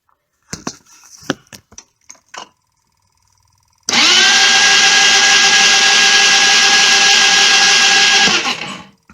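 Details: Jonway Xpressway YY250T 250cc scooter with rebuilt carb, new plug, coil, stator and pickup, good spark and fuel; steady high starter whir for about four seconds without firing: cranks but won't start.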